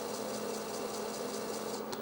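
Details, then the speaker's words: Floppy drive, after head cleaning with isopropyl alcohol, reading while imaging an Intel 386 InBoard disk: quiet steady motor hum with even fast head-stepping ticks; normal disk reading. "The uh floppy disc is obviously reading. I'm sure you can hear that."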